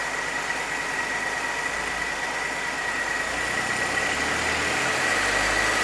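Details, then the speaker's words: 1966 Chevrolet C20, Chevy 292 six, fresh rebuild ring break-in: even, smooth hum at raised idle; no ticks, knocks or rattles, oil pressure held, no overheating. Normal fast idle. "Just crank down and see if I can get about 2,000 RPM out of it. And then I'll let that go for 20 minutes or so."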